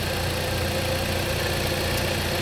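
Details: 2014 Jeep Compass after a no-crank no-start (codes P0600, P0688, corrupt CAN data) was fixed by replacing the PCM with a used, programmed unit. Check engine light is gone and the engine runs with a steady, even idle and smooth low hum, no misses or knocks. Normal idle.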